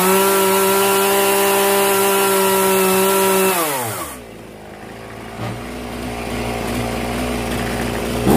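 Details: Zenoah 3800 chainsaw after carburetor mixture adjustment: crisp, steady high-rev scream dropping cleanly to a smooth, even idle without stumbling; saw runs healthy.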